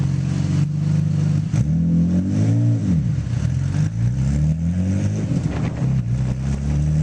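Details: Nissan GT-R on a dyno: deep engine note rising and falling through the revs, with a choppy stumble under load instead of a smooth pull; misfire under load.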